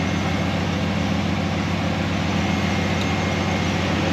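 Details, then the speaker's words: 1968 Dodge Dart 340 V8 with a rebuilt A727 transmission, at hot idle after a test drive, heat soak cured with a pan heat shield: steady idle with an even electric fan whoosh and no knocks or misses; cooling fan working normally. "You hear the fan running, so it's blowing all that hot air in that direction."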